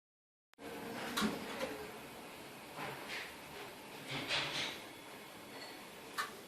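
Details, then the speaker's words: Daewoo washing machine with the drum pulled out, turned by hand: rough, gritty rolling scrape in uneven surges from worn drum bearings due for replacement. "Bueno antes de continuar les mostraré cómo suenan unos rodamientos en mal estado y ya verán como no les será difícil apreciar la buena"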